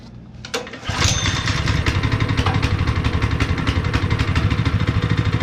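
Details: Honda GX160 5.5HP on a long-sat, abused concrete finisher, after new fuel line, cleaned spark plug and a little gas poured in the cylinder: short crank, then a steady even low putter with no misses; running normally.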